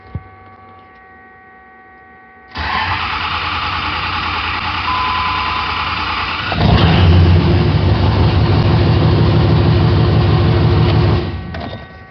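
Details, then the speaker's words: 5.9 ISB Cummins common-rail, no-start, no codes, rail pressure only about 1200 psi; with injector #2 blocked off it cranks briefly, starts, idles and revs strongly, showing the #2 injector's excess return flow caused the no-start. "number two that is our bad injector"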